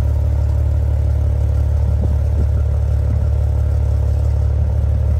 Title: Clacking/Rattling sounds coming from the exhaust pipes of my 2015 Maserati Ghibli